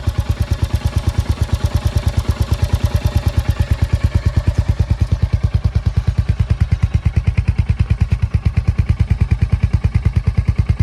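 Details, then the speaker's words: Royal Enfield Hunter 350 single-cylinder at idle after starting; even thumps about three beats per second with a sharp tick on every beat; owner says most Hunters make this; ticking noise at idle, cause unconfirmed. "Start करने पर इसमें आवाज आपको kit kit करके आती है जो कि आप सुन सकते"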